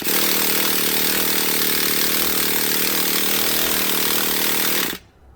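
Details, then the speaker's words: Heavily abused Traxxas Jato nitro RC engine, first start attempt with glow igniter after pressurizing the tank: high steady whirring spin for about five seconds with no firing pops; cranks but no start, owner suspects not enough fuel in the carb. "first attempt didn't go so well we didn't hear any type of combustion there on the engine"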